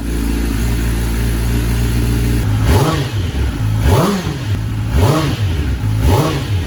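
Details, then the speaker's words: Rebuilt wrecked 2021 Kawasaki ZX10R after coolant refill, warming up (temperature reading rising to 156): steady idle then four quick throttle blips rising and falling cleanly, no misses or rattles; sounds healthy. "check out this throttle though that sounds good 156"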